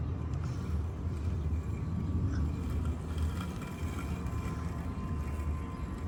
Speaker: Nice little robot. Seems to be doing well.